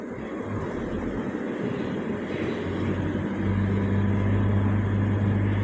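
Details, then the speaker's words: Toyota car after its alternator was repaired, idling with headlights on and AC at maximum as load. Smooth, steady drone with no squeal or rattle, and charging rises to about 14 V, so the charging system works normally. "ได้ชาร์จแล้วนะคะอ่าค่อยๆเต็มนะครับแล้วก็ไฟชาร์จก็จะค่อยๆชัดขึ้นนะครับ"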